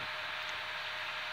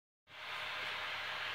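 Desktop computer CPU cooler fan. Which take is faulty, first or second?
first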